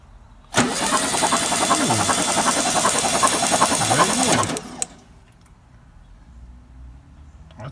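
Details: VW Beetle (Sunbug) after 30+ years in storage, compressions 170/150/115, spark confirmed: four seconds of even starter cranking with rhythmic compression pulses but no firing; crank, no start.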